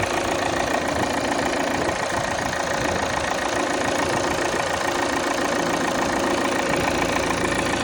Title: Xc90 D5 2017 cold start Strange sound, buzzing sound why?